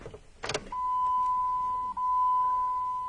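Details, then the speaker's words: Jeep that keeps eating fuel pumps, during voltage-drop testing: steady clean high whine about 2.5 seconds with brief dip, then stops; fuel pump prime present, voltage drop well under 0.4 V; normal prime. "incidentally notice that on all the tests we did definitely get a fuel pump Prime so we're really not worried about a lack of fuel Prime command or anything"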